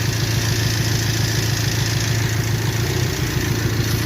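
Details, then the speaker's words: 1998 Toyota 4Runner 4-cylinder, waste-spark ignition, towed in with an obvious misfire but no codes, scope diagnosis: steady uneven low thump three to four times a second at idle, a rough lope from one dead cylinder misfiring. "we got a for oh no it's a Toyota 4Runner it has a Mist fire but it doesn't have any Cod"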